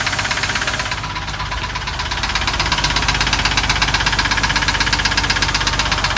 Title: Lifters or rod knock ??